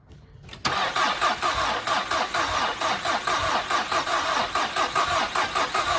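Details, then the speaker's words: 2011 Volkswagen CC first start after underside work and fluid fill, terminals cleaned, jump pack connected, battery 12.1 V dropping to about 11.3 V while cranking; steady rhythmic cranking about two beats a second, no firing; cranks but won't start from low voltage. "it trying Needs Some More Voltage"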